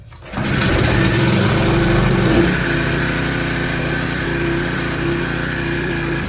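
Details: Small single-cylinder petrol engine (recoil rope start) pulled over on choke with fuel in, switch on; catches quickly and settles into a steady, even putter with no knocks or misses; running normally.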